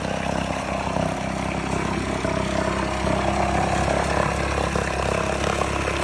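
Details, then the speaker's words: 1969 Johnson Sea Horse 1.5 hp two-stroke outboard, running for the first time in years, off choke, after water was added to the lower end: steady fast idle with even firing and no misses or surging. Normal running. "Running good now. >> We got this Johnson 1.5 running for the first time in years."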